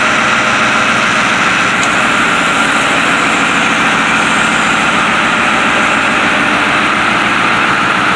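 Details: White 4-175 tractor diesel, first start after rear main frame repairs: heavy steady even drone, no knocks, misses or grinding; sounds healthy.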